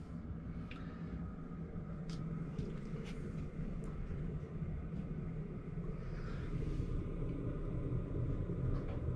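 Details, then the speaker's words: Cheap Chinese diesel heater installed in a 14ft Jayco Journey Outback caravan, running about 12 minutes and winding down: low steady hum, faint fuel pump ticking from beneath the bed, next to silent; normal operation. "it's and it's still running and basically the um the noise is next to nothing so you can safely have that on all night"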